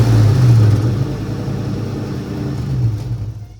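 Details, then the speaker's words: 2003–2004 Ford SVT Cobra supercharged engine started with the accessory belt removed to chase a squeak: revs then settles to a low, even rumble with no squeal, pointing to a bad idler pulley bearing. "We're going to start it and see if we still hear the squeaking. Okay, no squeaking at all."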